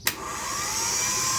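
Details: Repaired starter motor from a Toyota Mighty-X no-start, after earlier clicking with good glow plugs and battery, bench-tested on battery leads before refitting. A click, then a smooth, steady high whir: normal starter motor spin.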